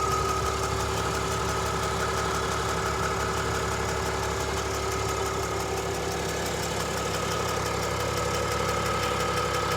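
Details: 2022 RAM Cummins diesel idling at cold start: light steady tick about three per second that goes away after roughly 10 minutes of running.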